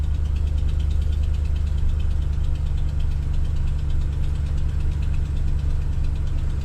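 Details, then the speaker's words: 2014 Ram 1500 Sport quad cab, 180k miles, cold start idle: quick light ticking over low rumble that fades when warm, exhaust manifold leak from broken-off manifold bolts. "You can hear the exhaust ticks and they go away. It's got broken off bolts."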